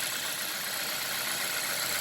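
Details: Hyundai Veloster after ignition coil boot replacement, warm engine: smooth, steady idle with a fine even patter and no stumbles or misfires; normal idle.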